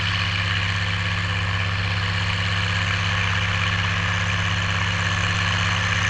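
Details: Oliver 1550 tractor, about 54 hp, disking with a JD BW disk 6–8 inches deep after fuel-system contamination cleared: deep, steady diesel pulling hard with a constant low throb and no misfire, surging or knock; healthy under load.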